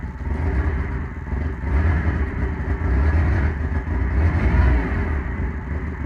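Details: OMC 2.5L four-cylinder on first start after water pump replacement runs smooth and even with a steady low pulse and no knocks, ticks or squeals; healthy.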